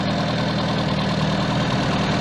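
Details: 1978 Austin Allegro 1300 Estate after valve clearances set and ignition timing reset to about 8–10 degrees; steady, even idle with smooth low beat, no misses or knocks; idle around 1,200, mixture possibly off.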